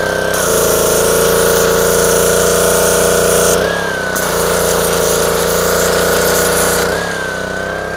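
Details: Dumpster-rescued Ryobi pressure washer with 190cc Honda engine and new 3000 psi vertical pump, first start: steady, even drone with a clear pump whine that dips briefly under load; runs healthy.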